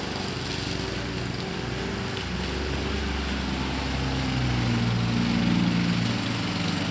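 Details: 2014 Husqvarna HU700F self-propelled push mower, Honda GCV160 single-cylinder engine, after carburetor clean and general cleanup: fast, even beat that swells slightly, no surging or missing; normal clean, steady running.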